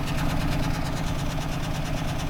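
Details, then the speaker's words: 1998 Ford Taurus with cylinder 1 misfire code, warming idle heard from exhaust: uneven chuffing beat with recurring stumble; spark confirmed good, bank 1 fuel trim 8-20%; owner suspects injector or lifter. "can sort of hear that and that's the miss I think and I'm not sure if that's a what sort of a mist at is there is spark"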